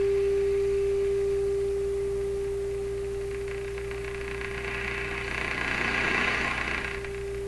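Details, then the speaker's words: Clairtone console stereo during the first AM band alignment, with the IF tuned to 455 kHz. Tuning higher up the band brings a steady, pure tone around 380 Hz over soft hiss; the cause is unclear and it is definitely not normal. "That's not right. What in heaven's name is going on? That's pretty mysterious. That's definitely not normal."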